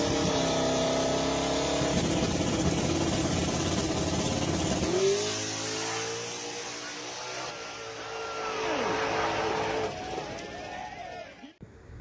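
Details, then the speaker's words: Drag car making a fast pass: loud high-revving run, then the note drops sharply with a falling whoosh and the engine stumbles as the dump valve closes and bogs it. "Pay attention and you'll hear the dump valve close and kind of bog the engine. But that's what that sound is, the dump closing."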